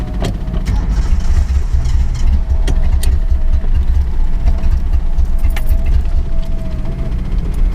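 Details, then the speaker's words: Home-built Datsun 240Z on a road trip: engine chugs and surges unevenly with power dips while a loud fuel pump whine comes and goes. Fuel starvation; the car ran out of fuel. "I can hear the fuel pump is really loud it's obviously just not getting enough fuel"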